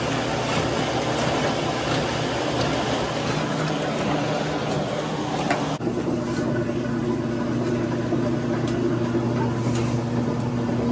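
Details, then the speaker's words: Maytag washing machine running after disassembly, blowing out and vacuuming the internals, and reassembly: steady low hum with faint water slosh, no squeal or squeak; noise fixed. "Fixed it. No more squeak."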